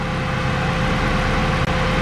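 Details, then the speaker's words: 1993 Honda Civic EG hatchback idling after installing a Skunk2 radiator and Spal electric fan, heater on during coolant bleed; strong steady vacuum-like air rush, even with no rattle or rubbing; normal cooling fan operation. "i wanted to show you guys how much air this fan moves i mean it sounds like a vacuum"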